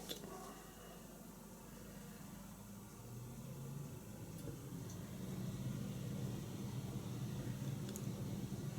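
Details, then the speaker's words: Bosch Compress 3800i exhaust air heat pump switched to normal mode: fan starts first, low hum slowly swelling and steadying over several seconds; compressor not yet started, starts after a while. "First, the fan starts and the compressor will start after a while."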